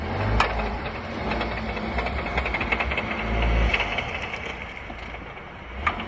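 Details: VW Tiguan: loose, irregular metallic rattling over the engine as load changes; owner asks what it is, drivetrain rattle, suspects gearbox or dual-mass flywheel, unconfirmed.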